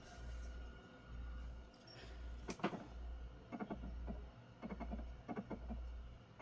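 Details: Xbox Series X drive with an Xbox One disc (Jump Force), issue ongoing over a month: faint hum swelling about once a second with scattered clicks; disc spins but is never read, no error message.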